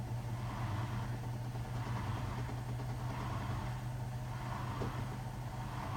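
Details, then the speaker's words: Hotpoint WMFUG 942 washing machine, Cotton standard 60 programme, after the drain pump problem was fixed: steady low drain pump hum under the drum noise as the last water pumps out, smooth and even; pump working normally. "There you go, can you hear it there? See it just pumped that last bit of water out?"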